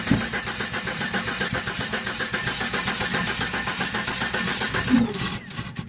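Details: 1997 Jeep Cherokee XJ with new plugs, wires, distributor, cap, rotor, Mopar crank position sensor and coil, good spark and fuel pressure: starter cranks steadily about four beats a second but the engine never catches.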